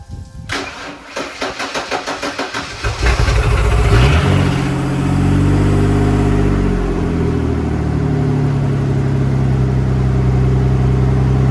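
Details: Ford F-150 after junkyard head swap (not rebuilt or machined) and resealed intake gasket: cranks a few seconds, catches cleanly, flares then settles into a steady, even idle with no hunting; normal idle.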